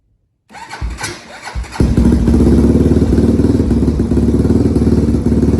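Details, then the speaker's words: Honda 400EX single-cylinder ATV after crankshaft rebuild, new spark plug fitted, choke off; catches after a few cranks into fast, lumpy idle, blowing black smoke, running super rich; removing airbox lid helped somewhat, jetting needs adjustment. "you can see how it's blowing black smoke out the exhaust that's cuz it's running super rich"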